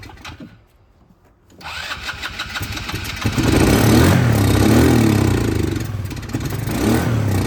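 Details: 2010 Polaris Ranger RZR 170 that sat for years, with no fuel reaching the carb (a replacement fuel part is on order), running on sprayed carb cleaner with the airbox off: it revs unevenly, surging and sagging. It smokes, smelling of old fuel, not burned oil.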